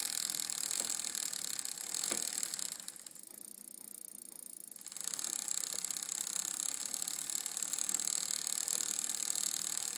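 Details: Bicycle drivetrain spinning with light, uneven clicking about four a second, from the chain rubbing on the rear derailleur.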